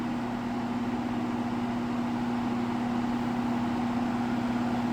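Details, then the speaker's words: Window box fan after sitting unused a while: steady low motor hum, mid-pitch drone and air rush over the blades, no knocks; runs noisier than remembered, cause unclear. "yeah, I honestly don't remember it being this noisy. I mean, it's not loud by any means, but I don't remember it being this noisy."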